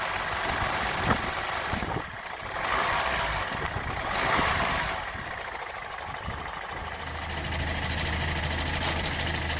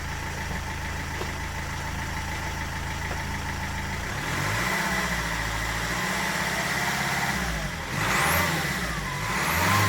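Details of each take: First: Land Rover Freelander 1 with 2.0 TD4 BMW diesel, noisy for six months: uneven, intermittent knock through the idle clatter, worse once the engine warms up, from a failing crankshaft pulley. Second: Land Rover Freelander TD4 2.0 BMW diesel after crankshaft pulley replacement for engine knocking: quiet steady idle and clean smooth revs with no knock or clatter; engine sounds healthy.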